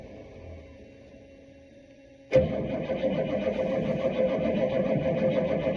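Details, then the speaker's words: Bus whose engine won't turn over with the key, starter jumped with a wire at the solenoid while spraying ether: quiet, then a sudden catch as it runs roughly. It won't stay running; fuel delivery is suspect. "it's running just won't stay"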